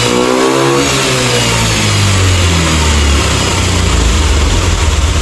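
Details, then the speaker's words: Honda Beat ESP scooter, after fixing faulty injector, previously stuttering at top revs and hard starting: engine climbs smoothly from idle to high revs and holds steady with no stumble or misfire. "Oke untuk rwm atasnya dia juga enak ya ya"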